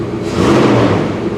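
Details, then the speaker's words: 1998 Jeep Grand Cherokee after fuel tank replacement, run on about three gallons of gas: short steady run with even low hum, no knocks or rattles; oil pressure good, charging, transmission works; healthy. "that sounds real good i can smell it now"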